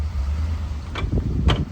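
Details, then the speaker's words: 2007 Chevy Uplander, 248,838 miles, on a test drive: two dull low thumps under braking over road rumble, worse going forward. The control arm is felt moving fore and aft from a worn lower control arm bushing that fell out; the fix is torqued at ride height. "So I'm pretty confident we're gonna find lower control arm bushings are bad."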